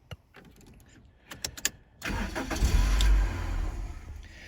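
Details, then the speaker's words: 2001 Toyota Corolla after ignition switch replaced with a new one: a few clicks, then about three seconds of steady cranking without catching; immobilizer ring sensor not reading the new key, starts when old chipped key is held to it. "the vehicle will not start however this ring here is a sensor if I hold the old key with the chip in it to there and then the vehicle will start"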